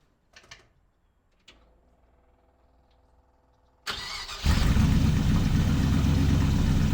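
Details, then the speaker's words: V8 engine first start after a valve adjustment with new valve cover gaskets, lifters oiled and idle raised: it catches and settles into a deep, steady, even idle with no top-end tick; normal idle. "no no that fire is way better it's going to be too loud i know but at least with the idle raised right now even from where we left off at this is already idling ways"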